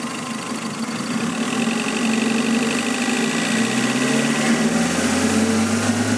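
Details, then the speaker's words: 1992 Toyota Sprinter Trueno GT Apex, factory individual-throttle-body engine, revving: light metallic resonance rattle around 2,000 rpm, source unknown, possibly an accessory or cover. The car also has a cold-start hunting idle and stumble. Engine rattle. "so there's a little bit of like a resonance Rattle and I'm not sure exactly where it comes from"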